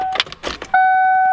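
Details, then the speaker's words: 1995 Ford Mustang GT with a new in-tank fuel pump after the pump wires were found backwards: at key-on a clean, steady whir holds level, priming normally to build pressure in the empty lines. "I can hear damn that's a good sound is it that time yeah I'm just trying to build off pressure because none of the lines or anything have ya know"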